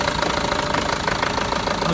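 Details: Renault Master diesel with fault code DF065 at idle: a hard, uneven knock pulsing several times a second. Misfire persists despite four new injectors and other replaced parts; cause unknown.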